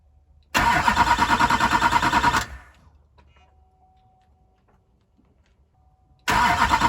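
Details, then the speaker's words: Neglected LBZ diesel after a parts install: the starter churns steadily at about three beats a second, pauses, then cranks again with no start. Owner says the fuel system lost prime for an unknown reason. "The fuel thing lost prime for some reason. Not sure why."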